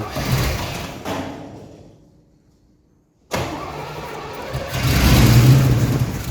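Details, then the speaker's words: 1982 Firebird Trans Am 305 V8, unstarted since 2012, sprayed with carb cleaner; cranking stops, then it catches with a deep rumble and revs briefly but won't stay running, carburetor leaking; fuel pump suspected not pumping. "There we go, it wants to run. Let's dump some gas in and see what happens."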